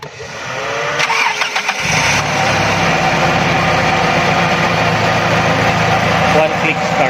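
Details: Carbureted engine cranks and catches, then slightly uneven hunting idle; vacuum leak at carburetor secondary diaphragm, missing choke opener linkage causing hesitation on acceleration.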